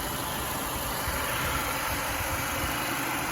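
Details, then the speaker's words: Mercedes W212 with M271 engine at idle after an oil change and StopTech stop-leak and thickener additives. Smooth, quiet idle; the hydraulic lifter knock is gone and coolant loss has stopped. "Двигатель, кажется, сейчас работает нормально, тихо и не стучит."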